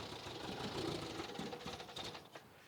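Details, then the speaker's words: 1967 MG Midget barn car started with choke out, good oil pressure, tach not working; fast, busy idle with quick even ticking, revs a little high; carbs and choke linkage suspected as the issue, not confirmed. "okay A little High Rev but"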